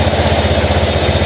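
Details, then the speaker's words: Honda Scoopy eSP 2016 scooter that had sat six months and arrived without an ECU, now running; quick, even putter at steady idle, no stumbling, ticking or rattle; engine running clean. "Itu motornya sudah nyala Coba kita sedikit kasih geberan ya"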